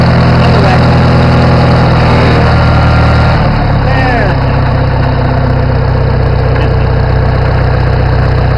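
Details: Farmall 450 tractor engine revved up, running heavy and loud with a steady knock about three beats a second; smoke from the pipe, engine needs a rebuild.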